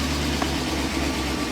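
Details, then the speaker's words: 1998 BMW 740iL, first start after a new fuel pump, engine said to be no good: lumpy, uneven idle stumbling about every half second, missing on at least one cylinder; charging warning also showing. "All right, well, let's see if it'll start. Hey, it started. It sounds terrible."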